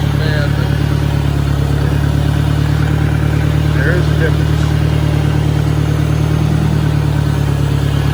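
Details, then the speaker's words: 1965 John Deere 1010 tractor (less well maintained): heavy low drone and rough mechanical rumble, worst in first and second gear. Owner suspects worn roller bearings, shaft end play needing adjustment or bad cage bearings; cause unconfirmed. "find the first and second GE in this tractor leads me to believe that there's issue the transmission you know whether the roller bearings are worn or shaft inway needs to be adjusted or cage bearings"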